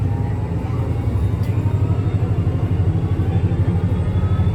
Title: STM 37-021 strange noise on the 171